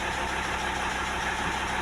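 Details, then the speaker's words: Audi A6 C4 2.5 diesel turbo, warm at 50°C, idling. Light fast tick that comes and goes, from the injection pump or injector area; cause unclear. Quieter when revved. Engine smokes, turbo worn. Owner asks what causes it. "вот непонятно что это за звук он бывает появляется бывает опять пропадает"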